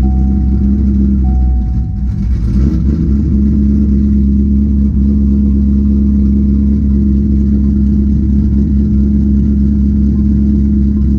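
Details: C6 Corvette V8 idling right after start-up following an oil change, checking oil pressure: steady even low rumble, no knocks or ticks; normal healthy idle.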